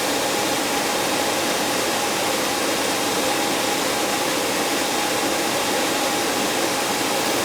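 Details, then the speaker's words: 15-year-old AC system icing up badly, blower run by jumpering R to G. A smooth, constant rush of air with a faint steady hum and no rubbing or knocking; the fan is not the issue, though the heat is oddly on. "Fan's not an issue. The flipping heat's on though on this thing. That's kind of odd. Alright, the fan's running."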